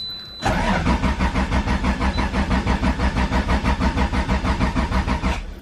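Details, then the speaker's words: Supra cranking steadily at about three turns a second without catching. The fuel pumps weren't heard clicking on at key-on, so the owner suspects a fuel pump issue. Crank, no start. "I don't think it's gonna start oh it's not starting fuel pumps are turning on though"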